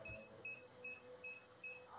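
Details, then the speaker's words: SK-600II infusion pump (SK brand) with "System Abnormal" error at self test: repeating high double-pitched beep alarm after power cable removed, pump won't turn on; battery usually the problem, to be checked first. "muncul alarm seperti ini dan bunyi beep. Terus kita coba hidupkan juga tidak bisa. Kebanyakan masalahnya ada di baterai."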